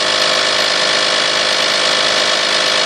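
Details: 1998 Toyota Sienna held at raised revs (noise occurs 2000–4000 rpm), otherwise runs great: busy raspy metallic buzz, loudest toward the manifold and beneath; abnormal noise, cause unclear.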